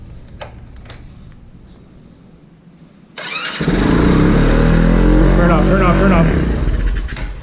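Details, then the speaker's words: Vader 125 Grom-clone motorcycle, carbureted, first start after disassembly with choke up and idle screw turned way down: quiet, then catches suddenly into a quick, even putter with no misses; normal start and idle. "got it okay so it works nice that's cool"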